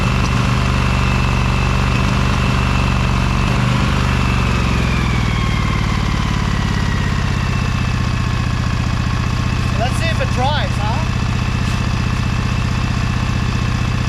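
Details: Briggs & Stratton Vanguard 23HP V-twin on a Little Wonder hedge trimmer, after primer bulb replacement and carburetor cleaning, choked, throttle low, brake on: deep, steady thrum with no misses, knocks or surging. It runs nicely now.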